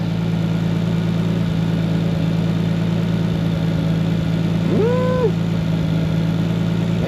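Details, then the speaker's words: Nissan 240SX with RB25 after ignition coil pack repair: steady idle with faint irregular stumble now and then; slight misfire at idle, owner suspects sticky injector, fuel issue or boost leak, unconfirmed. "I spoke too soon have a sticky injector but it seems like I have a slight Miss interesting fuel related or what I have a boost leak or something interesting going we go idle down yeah yeah seems like it's got a miss"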